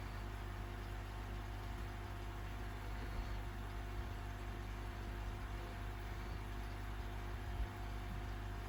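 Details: AquaEl Ultra 1400 aquarium filter running during flow test, diffuser removed: steady even low hum, no rattle, gurgle or surging; motor running smoothly, normal.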